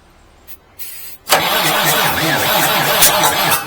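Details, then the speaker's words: 1989 Marmon truck: labored, slow cranking at about two compression strokes a second that never catches. The starter is cooking and the owner says it is too weak and may need a bigger one. Slow cranking no-start, cause unconfirmed. "oh oh man starters cooking yeah these starters just ain't got what it takes"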